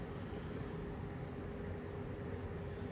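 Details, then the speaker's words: 1974 Kmart (Lakewood) P23 20-inch box fan on low, heard from about 6 feet: steady soft whoosh of air with faint even hum, no ticking or rubbing; already moving a decent breeze, running smoothly. "This is low. It's already moving a decent clip of air."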